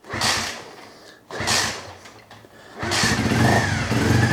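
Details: 1997 Honda CB50V Dream 50 DOHC four-valve single, revived after sitting about 15 years, still warm: a couple of cranking bursts, then it catches with a throttle blip and settles into an even idle; clean warm start.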